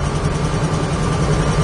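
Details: 1968 Chevrolet Camaro, V8 with small-diameter long-tube headers, at idle: low, evenly pulsing burble with a steady rhythm and no misses or ticks; a tight, healthy-running engine.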